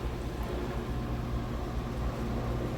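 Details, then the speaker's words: GE 2.8 cu ft top-load washer, first spin after wash, test load with a capful of bleach: smooth even hum, steady low tone, no thumping or banging; spinning fast and balanced. "So here's its first spin, extracting out the used up what would be soapy water."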